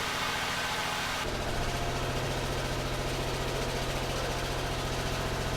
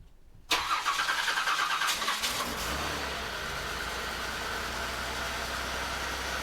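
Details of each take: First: 1989 Buick Reatta right after a new ignition control module and ground repairs: it runs fairly evenly with no misfires but sits at a raised, busy idle that hasn't come down yet, while it is still learning; high idle, cause not pinned down. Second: 1989 Buick Reatta, long sat, after a battery cable repair, ground fixes and a new ignition control module: about two seconds of quick rhythmic cranking, then it catches and settles into a steady idle that sounds way smoother than before; normal cranking and start.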